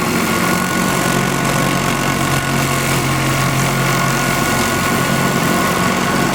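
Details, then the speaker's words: MiniSpark 18 electrostatic machine with epoxy-filled disc, 1.233 nF capacitor bank, 1 cm spark gap: even crackling hiss over a constant low hum, no dropouts or surging; very consistent, strong discharge. Normal running. "very good very consistent strong discharge"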